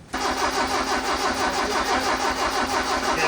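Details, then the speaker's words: Custom-built carbureted engine, first start attempt, straight mechanical-advance distributor, manual fuel pump, no fuel reaching carbs yet: steady fast chugging of the starter, about three beats a second, with no firing; cranks but won't start. "Is there fuel coming? >> No, >> I cranked it quite a ways open to try to get more, but it's just these silly manual pumps."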